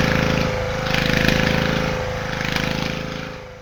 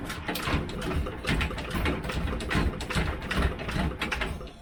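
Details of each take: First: Probably late-1970s Petter AC1 single-cylinder diesel Kango generator, left standing outdoors for years, started just above 0 °C: a steady, even thumping of about four pulses a second; it has caught and runs cleanly. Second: Petter AC1 diesel Kango generator, probably late 1970s, unrun for years, near freezing, hand-cranked, decompression lever feels wrong: slow uneven chuffing about two strokes a second, never catching; cranking without starting.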